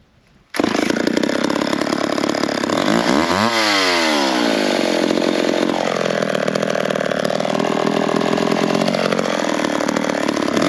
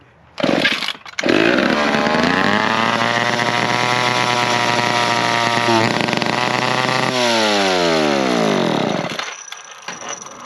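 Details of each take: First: McCulloch 10-10 chainsaw after a carburetor adjustment made between cuts in firewood logs, restart test: fires up with a crisp, even buzz, revving up then settling back without stumbling; now running well. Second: McCulloch 10-10 two-stroke chainsaw, throttle linkage bent to stay in trigger, needs an air filter, possible air leak unconfirmed: screams at high revs without dropping to idle, slowly winds down; stuck high idle, cause unknown.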